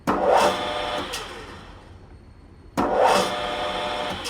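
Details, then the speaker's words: Grizzly G4003 lathe, drive motor run: rough, gravelly growl each time it spools up, worsening progressively, belt tension fluctuating; problem isolated to the motor itself, owner suspects a bearing or mechanical fault in the motor. "Now, you hear when it spools up that kind of rough noise that almost a little growling. Right there at the end."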